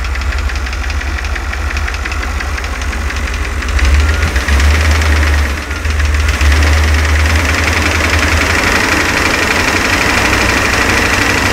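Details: 1990 GMC Rally van, GM 350 (5.7) TBI V8: steady metallic knock over the engine note, owner first suspected a lifter; oil pan removal found play in two rods, two or more spun rod bearings.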